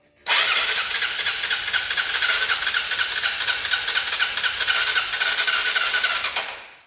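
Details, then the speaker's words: Honda Titan 150 motorcycle that ran with no oil and knocked loudly before it stopped starting. On the starter it spins fast and even with no compression strokes; likely piston slap or scoring, and the engine is to be torn down. "tem compressão nenhuma no motor da moto"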